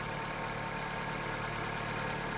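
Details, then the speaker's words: Chevrolet Corsa Classic 1.6 (not 16-valve): steady idle with a constant airy sucking hiss; vacuum leak, false air at the brake booster hose seal. "mas o nosso que ele tá sempre pouquinho acelerar ele tem um barulho diário puxando eu venho aqui olhar"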